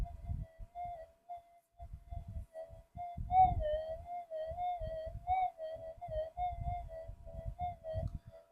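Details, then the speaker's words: Minelab GPX-5000 gold detector awaiting upgrades, in Sensitive Extra: a steady high threshold tone that wavers and warbles over crackly pops. It gets slightly better but is still unstable and noisy. "Gets a little bit better, but still wishy-washy."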